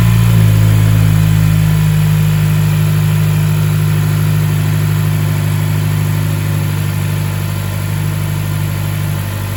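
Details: Mazdaspeed Axela (BK3P), 2.3 L direct-injection turbo L3-VDT engine after overhaul: steady, even low-pitched idle easing down slightly after start, no knocks or ticks; normal, healthy idle.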